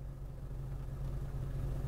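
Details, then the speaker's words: 2005 Honda Element after engine replacement, driving slowly in a lot: only a soft, low, even rumble with no whine or knock; the new engine is so quiet it's barely audible. Normal running while driving. "but this engine's great it's quiet can't even tell it's running it's like is it on is it even on"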